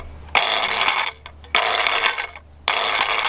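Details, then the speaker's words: Scooter drop test, lifted a couple of inches and dropped: three drops, each followed by about a second of loud clattering rattle; non-dialed scooter with loose parts, fix is tightening everything including front and back wheels. "you can hear, a non-dialed scooter sounds very noisy, very rattling. It's just like makes a lot of noise."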